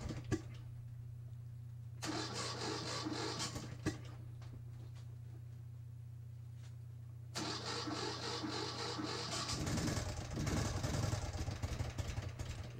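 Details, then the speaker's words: 2012 Ural Patrol twin, first start after engine rebuild with fluids just added: starter whirs, engine runs with uneven clattery top-end noise, lots of extra noise from left side; abnormal top-end noise. "Yeah, so I noticed a hell of a lot of extra noise coming off that left side, and it really concerned me at first."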